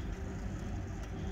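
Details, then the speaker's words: Four-ton variable-speed air handler with the blower set too high: a steady heavy roar at the supply vent, measured near 1000 feet per minute, with 54-degree supply air. "I can hear these vents I can hear it hear that they're rocking let's check this one whoo thousand feet per minute"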